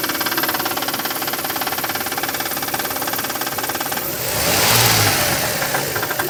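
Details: Toyota 1MZ engine at idle: sharp, regular ticking knock about three or four times a second rides over the idle, briefly smeared by a blip; the knock appears after long idling.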